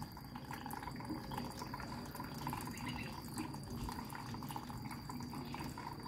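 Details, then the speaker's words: Samsung washer (customer complaint: runs briefly then stops, no washing; title error 3C) during repair test, after drain pump ran: steady rushing water as the first inlet valve fills the drum, no hum or knock; normal fill. "rồi cấp nước đã chảy một bên rồi này"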